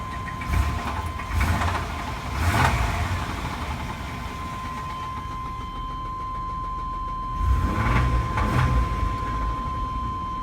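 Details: Chevrolet 4.3L Vortec V6 truck engine, startup and revs: rough idle with short blips and a deep knock typical of worn rod bearing; severe rod knock suspected, not confirmed.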